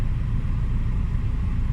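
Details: Hyundai Getz 12-valve petrol engine, after intake manifold cleaning for high, erratic idle and hard starting: smooth, low, even idle around 826 rpm with aircon on, coolant 75°C, no hunting or surging.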